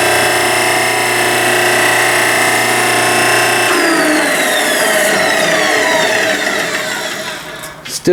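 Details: 3 hp repulsion induction motor, 17 amps on 220 V single phase, driving a hydraulic forging press converted from a 25-ton log splitter: steady high-pitched whine with fixed low hum, winding down on coast-off; normal for this motor type, quieter than previous motor.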